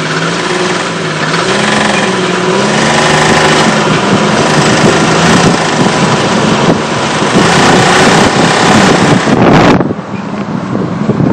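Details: 1998 Jeep Cherokee XJ idling with a rapid, somewhat uneven clicking of about four clicks a second throughout; owner reports smoke coming out and is unsure of the cause.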